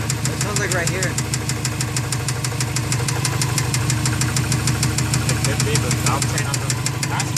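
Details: Subaru engine at idle with rapid regular ticking knock, about three per second; source unclear, seems to come from the opposite side wherever one stands, cylinder number 4 suspected, possibly something unbalanced in the turbo.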